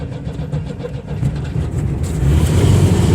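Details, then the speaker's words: 1974 Chevy Vega, bone-stock four-cylinder, first start on the rebuilt fuel system: starter churns, engine catches and settles into a steady low rumbling idle without misses; starts normally. "there we go it's idling wow that's awesome finally finally it pays off we've got it running"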